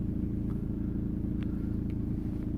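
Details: 2003 VW Passat B5 1.9 TDI (130 hp) idling low and steady with scattered sharp rattles from the front engine bay, intermittently louder or quieter; owner doubts the dual-mass flywheel since gear engagement changes nothing, and removing the airbox made no difference.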